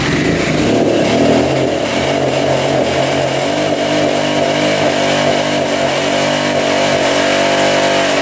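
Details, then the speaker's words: 1985 Honda XL600R single, sat a couple years, seller suspected low compression, oil put down the cylinder, kick-started with choke: first start, revs rough and uneven then settles toward idle with a thin, breathy bark, smoking as oil burns off. "it's alive she's burning off all that oil we put down the cylinder she's idling it's a good sign"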